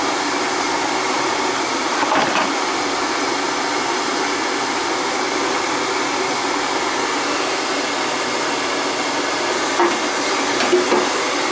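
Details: NTI boiler with a Riello burner that would not fire, with heavy carbon on the burner head, on a test-fire attempt: steady, even roar with no low rumble, pulsing or sputter. Normal burner firing with a stable flame.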